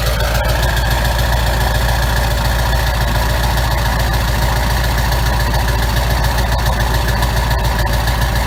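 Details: 1999 Ford F-350 7.3 Powerstroke diesel, cold start at about 25°F with new MBRP 5-inch turbo-back exhaust: deep, steady idle with even clatter, no misses; normal diesel idle.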